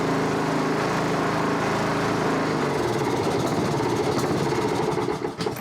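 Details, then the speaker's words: Honda HRB216 push mower (GCV160), stored a few years, new plug, cold night start on choke: lumpy uneven single-cylinder chatter at low speed that never settles, running slow and smoking a little oil; dirty carburettor after long storage. "Runs kind of crappy, smokes a little bit of oil, but it hasn't run in quite a while, so we're gonna just let that simmer a minute."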